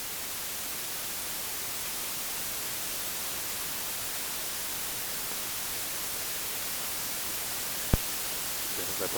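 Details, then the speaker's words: Static from an AC-2EX aviation intercom feeding a 9er Systems USB interface: a constant, unchanging loud hiss. The headset plugged in directly is clean; noise appears once the intercom is connected and persists with recording unplugged. Cause unknown. "phone crazy noise, not really sure why. And here. Let me see what happens if I unplug recording. You can see noise still goes crazy."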